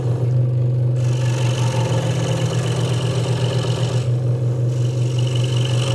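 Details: Hegner Multicut 2S scroll saw cutting wood after the blade protector was moved back to stop a rattle: a steady low hum with quick, even blade strokes and no loose rattle; the saw is cutting normally.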